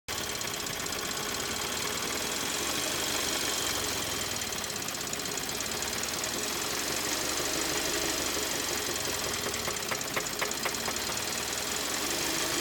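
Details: 2013 Kia Optima with code P0014: sharp, fast knock about four per second over idle; engine later failed and was replaced under warranty; engine knocking.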